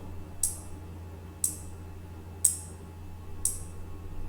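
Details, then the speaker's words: Relay on a Raspberry Pi Sensor HAT, switched by an ultrasonic sensor when an object is within 20 cm: sharp single clicks about once a second over a faint hum as it toggles on and off; switching normally. "let me just show you in the circuit so you can see the relay is on and off and on and off you can hear the clicking sound"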